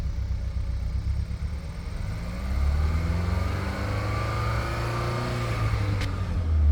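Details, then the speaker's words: 2015 Hyundai Sonata, engine rebuilt at 129,000 miles (new pistons, rings, bearings, rods, head gasket), runs slightly rough at idle; under throttle it revs up cleanly with a smooth rising drone and no stumble, misfire clears; cause unknown. "When you give it throttle, it clears up, and you can't see it, but when you give it throttle, it clears up really well. It sounds really good,"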